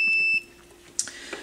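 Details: Turntable channel with no sound, multimeter on resistance/continuity mode, cartridge white wire flexed at head shell post: steady high beep under half a second, then handling clicks; unbroken circuit, wiring intact.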